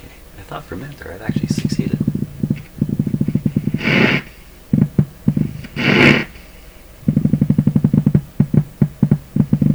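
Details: Canadian PYE Model 39HC radio on a dim-bulb tester; low put-put pulses about ten a second in bursts from the speaker; motorboating tied to volume-control position at low volume, cause not yet found.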